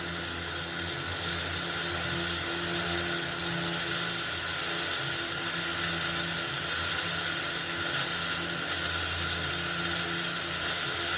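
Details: Old Philips RR286 radio recorder under repair for no sound: constant hiss with no station tuned and no dropouts; the speaker and amplifier board are passing sound, so the audio stage is working.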